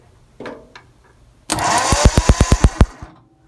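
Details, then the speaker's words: 1963 Mercury Monterey, not started since 1976, cranking, spark watched at the coil: about 1.5 seconds of cranking with about seven sharp regular snaps. Good arcing; the ignition is now sparking properly. "that's good arcing there"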